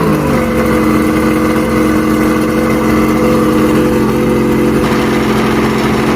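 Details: Mercury inline outboard after stator replacement for a no-spark fault: steady even run with a smooth low tone, no knocks or misses; fired on first crank, but water pumping is weak and impeller needs replacing.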